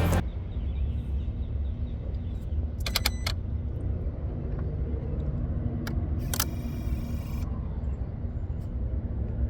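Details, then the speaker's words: 2023 Kia Sorento, engine off and key out for a while: bursts of rapid ticking and sharp clicks from the engine bay as the throttle body and an unidentified relay keep cycling; ghost noise under diagnosis. "this sounds like the throttle body and then a relay and the vehicle's off it's been off for a while and they just keep cycling"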